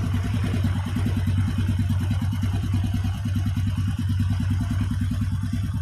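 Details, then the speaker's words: Honda Supra Fit motorcycle before repair, smoking: rough, uneven clattering beat over low engine drone at fast idle; scored piston. "The condition of this new Supra Fit motorbike is smoking and the engine sound is rough."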